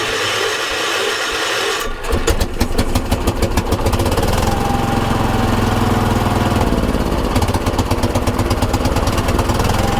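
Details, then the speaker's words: 1980s ORVCO Transtrack UTV at the river before a test drive, using the two-handed choke: small single fires after a couple of seconds and settles into a fast, even putter, revving high on choke. It doesn't want to go into gear. "All right, let's see how this works. It's revving pretty high."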